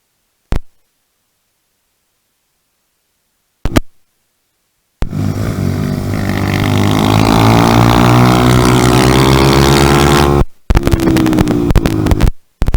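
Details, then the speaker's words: 2018 Honda Grom salvage engine swapped in for the 2014 motor, first start with intakes not yet connected after the fuel pump primes: handling clicks, then the small single starts and revs smoothly, even exhaust note, no knocks; normal running. "I'm going to turn it on. I hear the fuel injector pump running."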